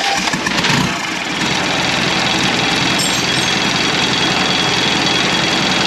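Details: 1991 Land Rover Defender 90, Turner Engineering remanufactured 200 TDI diesel, first start after four years, fuel system being bled: steady rough churning on the starter, nearly catching, nothing odd underneath; normal cranking and start.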